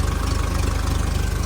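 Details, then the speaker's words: 2010 Doosan propane forklift, 3,353+ hours, with surging and slow starting, vaporizer/regulator replaced; turning the regulator's mixture screw gives a low, fast, pulsing, shaky uneven idle and the engine shakes; rough running that the owner thinks is the fuel mixture. "And the whole engine is like shaking. So, just turn that screw left or right. And that does that. Something with the fuel mixture, I think."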